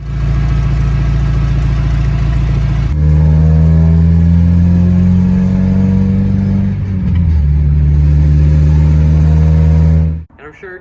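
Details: Roughly 30-year-old Mazda Miata small petrol engine idling and revving with a fast, buzzy ticking, the common hydraulic lifter tick, likened to a weed whacker.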